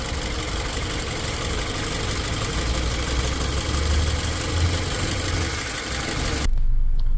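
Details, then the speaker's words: 2008 Toyota Camry (also listed as 2009), check engine light on, warm at about 186°F coolant, AC being switched on. Uneven lumpy idle with irregular low thumps, shaking badly then easing; misfire from low compression. "so as you can see now shaking pretty bad I guess it gets a little bit better and then star shaking pretty bad"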